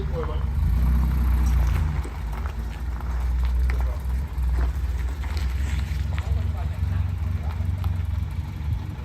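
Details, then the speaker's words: Rolls-Royce just out of storage, cold, backed out to warm up: very low, lumpy, uneven idle with wind noise, never running on more than four cylinders; misfire. "so it did start it did run as you saw it never really ran on more than four cylinders"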